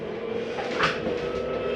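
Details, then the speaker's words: Jayco Eagle HT 27RS travel trailer, slide number 1 retracting under its electric motor; bottom comes in first because the slide mechanism sits on the bottom. Soft, steady motor drone with faint sliding rumble, no straining, normal. "Notice the bottom comes in first. It's just because the slide mechanism is on the bottom of these sides."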